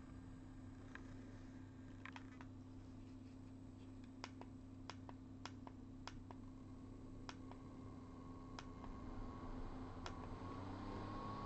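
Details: G5 CPU fan converted to a Zalman motor, running at 2,000 rpm for comparison with the original: a soft, steady low hum with scattered light clicks, much quieter than the original mechanism. Normal running.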